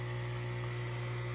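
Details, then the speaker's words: Kenmore Quiet Guard dishwasher with water left in tub: steady low pump-motor hum, no gurgle or water rush; drain pump runs but does not drain, cause unconfirmed. "r still have some water left and when you close it you get a pump but the water is not suck it out"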